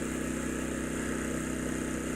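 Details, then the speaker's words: Champion 200961 2500-watt dual-fuel inverter generator on propane, powering a camper's AC (about 1,000 W), refrigerator (about 300 W) and TV, owner estimates the AC and refrigerator at roughly 1,300 W together: steady constant-pitch hum, no hunting or surging; normal running under load. "But it's doing everything I wanted it to do on propane. And you get a few more running watts out of gasoline."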